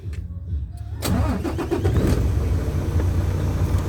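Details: Isuzu 6WF1 truck diesel after PCV valve fix for hard starting from over-pressure (no fault code): brief crank, then it fires at once into a steady, even idle; clean one-touch start.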